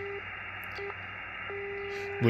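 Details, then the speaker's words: Xiegu X6100 ham radio, RF gain 100%, no antenna (same on dummy load): steady whistle around 400 Hz cutting in and out over quiet hiss at S9, internally generated birdie spur; lowering RF gain to about 60% helps. "hear a noise like that that is definitely in the radio S9 with uh RF gains up at [Music] 100%"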